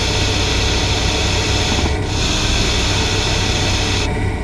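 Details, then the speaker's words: Normal hissing of a hydraulic power steering (DHB) rotary valve, most evident when steering with the vehicle stationary, from fluid passing valve orifice edges at high speed: steady high-pitched hiss like a slowly deflating tyre; only very loud hiss warrants checks. "fica mais Evidente em manobras com o veículo parado é inerente a válvula rotativa e resulta da passagem de fluido hidráulico pelas bordas dos orifícios da válvula em alta velocidade"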